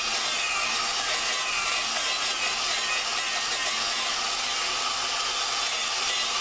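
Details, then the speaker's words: Lapping a valve into its seat with a drill and grinding compound on a 4.7 Dodge cylinder head. A continuous gritty hiss and rasp with an even texture; the granular compound is cutting normally, before it thins out. "So, as you're doing it, you can hear the the uh when you first start, you can hear all the grain granular portions of the the gr the compound. You can hear that doing its job."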